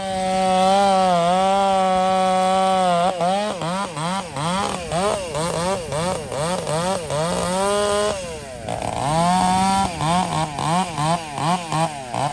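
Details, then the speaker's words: Chainsaw ("400") with 28-inch bar and full-chisel, full-comp chain bucking a storm-felled tree: engine note dips and recovers in a steady rhythm as the chain bites, pulling strongly without stalling; healthy saw cutting under load. "If you're still watching, that's a 28-inch bar on the 400 that I'm running, full chisel, full comp chain. Saw has no problem pulling that son of a gun, man."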